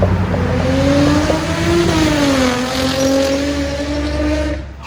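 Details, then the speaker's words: Nissan G35 with Tomei exhaust, test pipes and wide pipe, before repair: raspy leaky exhaust note rising and falling as car passes under throttle, tractor-like idle; exhaust leak from completely shot flex pipes on the Y-pipe. "the flex pipe on the y-pipe they are completely shot out as you can see and when the car is idling you can literally feel all the pressure and air just coming right out on both of them"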